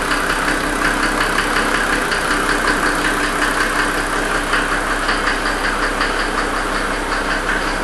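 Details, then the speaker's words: 1992 Mercedes 300SD diesel with engine knock and smoke: clatter at idle with an uneven deeper knock about one to two a second standing out above the normal rattle, AC off; the knock the owner has been complaining about. "Well, that's that noise I was talking about right there. $2,000."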